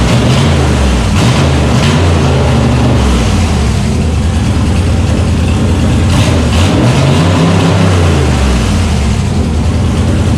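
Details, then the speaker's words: LS1 V8 truck after a remote tuner corrected the wrong firing order: deep even idle with clean throttle blips that rise and settle, running on all cylinders for the first time. "fired it up and holy that's the sound i wanted not um not what we're getting before"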